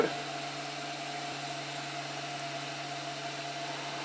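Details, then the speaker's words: MakerBot Replicator 2 after routine maintenance (rods lubricated, extruder drive gear cleaned) at about 45 hours of printing, loading PLA filament. A steady, even motor hum with no squeak or clicking: normal extrusion. "start to pull it and now we can see that we're extruding so at least I didn't botch that part of it up"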